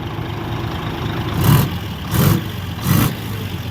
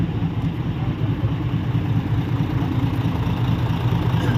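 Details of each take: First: Heavy diesel dump truck idling with a dull puff swelling about every three-quarters of a second; it sounds like an exhaust leak, suspected but not confirmed. Acceleration was described as good. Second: Diesel dump truck being compared with another for purchase: deep, even diesel rumble holds a steady rhythm with no knocks or misses; this one judged to sound tighter than the other, a solid, healthy idle.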